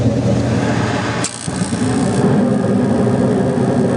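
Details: 8.5-ton Carrier gas heating unit after a wire was insulated with thick vinyl tape and electrical tape: fan rumble dips briefly, then the burners catch with a soft whoosh and settle into an even roar. Normal ignition.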